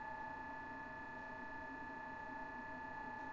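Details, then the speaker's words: Blower on PWM from STM32 at 12 V, dropping from 55% to 25% duty during pre-burner testing: steady high whistle with fainter upper tone over low rumble; noisy blower whine, cause unknown. "Dying down to 25. It's pretty bad in terms of sound. This sounds even worse than the fucking..."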